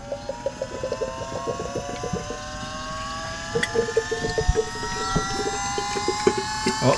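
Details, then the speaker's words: Holden Astra electric power steering pump fitted to a V8 Toyota Landcruiser Troopcarrier, first run: whine climbs in pitch with rattly ticks as it sucks its reservoir empty and cavitates, then is switched off to be topped up. Power steering pump cavitation. "Did you hear it winding up? I heard it go sound like it was cavitating, so I turned it off."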